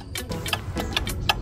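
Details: WPL C74 Suzuki Jimny RC crawler with newly installed RES V3 controller and winch, fully charged battery: quick uneven electronic ticks, no motor drive; RES V3 cut out for the second time, bind button unresponsive, owner unsure whether install error or defect.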